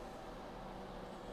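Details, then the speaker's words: Mini ITX Ryzen 9 3900XT build on Asus ROG X570-I with be quiet! Dark Rock Pro 4 cooler, first power-on: steady, even rushing air at high fan speed, no clicks or rattles; very loud fan, cause unknown. "It's RGBing in the ROG thing there. That's a really loud fan."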